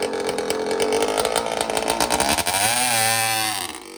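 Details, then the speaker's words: Suzuki RM60 two-stroke dirt bike (year unknown) after carburetor cleaning and fuel-feed fix, running without choke; crisp buzzy revs pull up cleanly and drop back without stumbling, unlike before when it only ran on choke. Normal running. "i cleaned the carburetor and now she runs good before was really only running on choke and it would kind of rev out whenever i would take it off choke"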